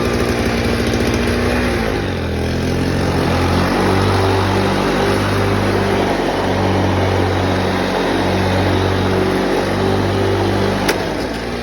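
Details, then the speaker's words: 1987 Toro GTS mower with a Suzuki two-stroke engine and a new-old-stock Mikuni carburettor: crisp buzzy putter that settles after a brief rev into a steady, slightly warbling idle like a dirt bike. Runs clean and even. "I love this thing. It sounds awesome. It sounds like a dirt bike when it's at idle."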